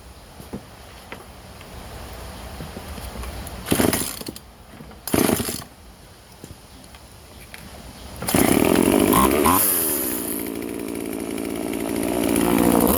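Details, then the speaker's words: Vintage Husqvarna 136 chainsaw, California emissions model, after drilling holes to open its plugged muffler (carb also replaced): after handling noise it fires and holds a crisp, even idle, then rises cleanly with throttle, running properly. "so i got the exhaust opened up just drilled a couple holes in it basically and so now check it out now"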